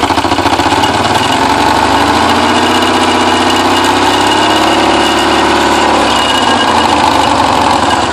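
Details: Porsche 944 first start after ten years, after the timing belt tensioner pulley fell off in 2005 and bent all the exhaust valves: a loud, ragged, rough idle with no even beat, smoking, misfiring from the bent valves.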